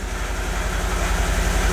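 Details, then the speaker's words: MGB 1800cc warming up after its first start in years: a low, lumpy idle that steadies as it warms, thought to be a sticking valve or two freeing off; oil pressure is good, and it still runs on about three and a half cylinders. "think we've just had a sticking valve or two got really good oil pressure"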